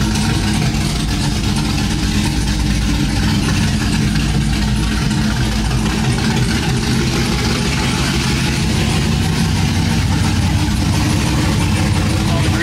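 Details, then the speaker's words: Chevrolet Silverado with cammed 5.3 V8, freshly fitted long tube headers and x-pipe, new plugs and wires, exhaust unfinished: very loud, deep, steady idle with uneven loping chop, oils burning off the exhaust; normal healthy cammed idle. "it's going to be very very loud right now I just want to hear the chop though"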